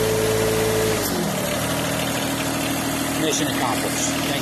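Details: John Deere 1023E diesel tractor just after fuel water separator filter replacement and self-priming, in neutral: brief crank, then catches and settles into a steady, even idle with no misses or knocks; normal start and idle.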